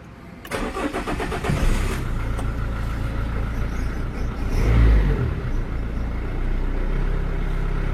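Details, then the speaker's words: Renault Clio 2 1.5 dCi diesel after oil, oil filter, fuel filter and air filter service, restarted after bleeding fuel system: brief crank then catches at once into steady even clatter, no stumbling or juddering; normal start and idle. "Bon, je vais la laisser tourner un peu, je vais voir si elle ne broude pas ou rien du tout."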